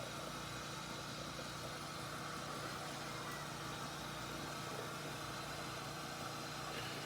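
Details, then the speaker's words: Gaggia Accademia espresso machine after a full service, running the cappuccino program with milk cleaner in the carafe and frothing foam: steady even pump hum with faint rhythmic pulsing under the frothing noise. Normal pump operation. "can hear the pump pulsing."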